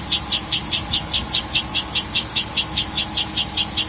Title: Chirping noise on 2007 Escalade. It speeds up as engine revs. Removed all belts and is still present